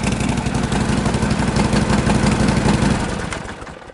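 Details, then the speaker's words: 1952 Harley-Davidson Panhead just started after sitting six months: loud, even potato-potato idle near three beats a second, steady, then winds down as it is shut off; healthy idle. "Not wet something much. It's all right. Terrific girl. I couldn't be happier."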